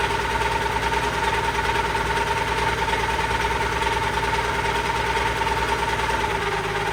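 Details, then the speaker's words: Allis Chalmers 190XT diesel tractor at idle: a steady high whine rides over the even idle without changing pitch; owner suspects the alternator, possibly the hydraulic pump. "And then that annoying sound you guys keep hearing, I'm pretty sure is the alternator, so I'll probably get an alternator coming too, and hopefully that noise goes away."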